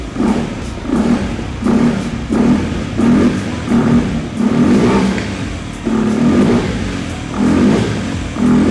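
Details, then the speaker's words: Vespa S 3V with a Polini 175cc bore-up, Akrapovic exhaust and open-filter intake, revved: a low droning hum rising and falling with each throttle blip and no knocking underneath. Healthy engine; the drone comes from the open intake. "mungkin ada beberapa suara aneh yaitu mendengung uh uh gitu ya tadi dengar kenapa suaranya kayak gitu karena momen ini memakai snot intake"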